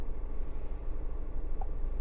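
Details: Hyundai Grand i10 petrol with earlier misfire and codes P0134, P0132, P2187, after ECM replacement and codes cleared: low, quiet, even hum with no misses or stumbles; smooth, healthy idle.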